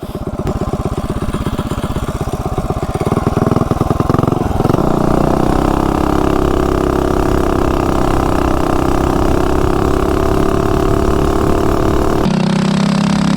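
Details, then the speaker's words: Coleman CT200U-EX mini bike, Predator 212 with unknown internal mods, billet flywheel, VM22 carb, custom dual exhaust, at top speed: flat strained drone that won't climb; bogs at top speed, stock clutch driver limits revs, Juggernaut suggested. "cuz you can hear it when you're riding it up at top speed it kind of bogs that stock driver just does not let it"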